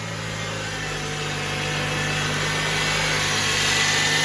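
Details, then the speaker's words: 2014 Toyota Camry just after water pump replacement, belt refitted and coolant added: steady, even idle with a smooth hum and no bearing growl or squeal; engine running cleanly, checked for leaks. "Okay, the car is running now. I'm gonna leave it running for some time just to make sure you're on the deep side, because I don't want no leakage."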